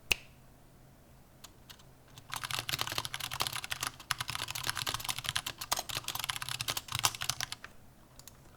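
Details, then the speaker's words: Vortex Pok3r 60% keyboard with an aluminium case: fast, bright key clacking with a thin metallic case ping and loose rattle from its poor stabilizers, especially the backspace key. "The Vortex Poker has one of my biggest pet peeves because it has poor stabilizers. So if I shake it right here, you can kind of hear it already. Especially that backspace key."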